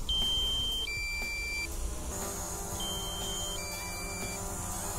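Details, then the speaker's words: DJI drone flown via the AirMap app, on landing near power lines: two-note electronic chime repeating twice over a low hum, the controller's low battery warning; the battery wasn't full at takeoff. "you can hear it's beeping at me to have a little battery this battery wasn't full when I took off"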